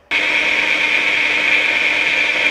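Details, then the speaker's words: Audi A6 Quattro with rear-end noise above 30 mph and vibration at speed, rear differential leaking fluid: steady high-pitched grinding whir with ringing tone; worn differential bearing, differential to be replaced with a used unit. "now you might think paul how do you know the rear diff is shot well look at this also it sounds like this"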